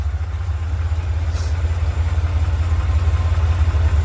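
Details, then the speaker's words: 1979 Ferrari 512 Boxer, four triple Webers after rebuild and tuning (previously hard off idle): deep, even idle burble with steady pulses, no stumbles or hunting; smooth healthy idle. "So that is what these things ought to start like and run like"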